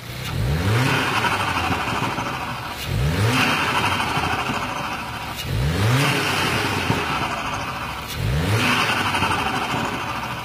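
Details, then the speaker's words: Volkswagen Golf R, standard apart from resonator delete, with Turbosmart VR1 recirculation valve fitted one week, stationary: four quick rev blips, each dropping off with light fluttery chatter as throttle shuts; normal recirc valve flutter, not turbo. "I can hear a little bit of flutter, and it's the recirc valve fluttering and not the turbo, by the way. I can hear it with the radio down pretty clearly."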